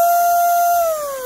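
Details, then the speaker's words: Racerstar 2835 4000kv outrunner brushless RC boat motor with a ZTW Shark 40A ESC, bench-tested at full throttle. A clean, steady high whine spools down smoothly with strong airflow from the motor's fans; healthy motor, normal full-throttle run. "that sounds good that's a nice sounding motor and and i feel a lot of breeze a lot of like airflow coming off these fans off the back of this motor"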